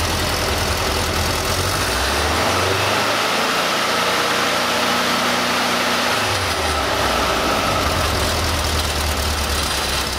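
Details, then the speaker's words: VW Beetle engine during ignition timing, distributor advanced from about 24° static toward a 32° target: revs pick up from idle to a steady faster run then settle back, smooth with no knocking; timing lands on the mark. "So, I need to advance it some to get to 32. You hear the RPM pick up. I'll run it up and see if we're at 32."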